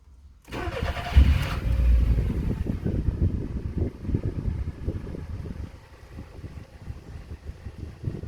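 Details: Smart forfour 1.3 with new fuel pump and new spark plugs: starter cranks steadily with irregular chuffs and a brief catch, but it never settles into a running idle; won't start.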